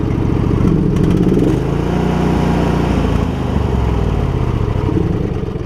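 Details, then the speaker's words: Husqvarna YTH2348 riding mower idling: small single-cylinder engine with uneven, loping beat that sags and recovers; rough idle, owner suspects low fuel or the plugs, not confirmed. "But what I would really like to do, she's idling down pretty hard now, is get that front end straight. We got a little bit of a rough idle."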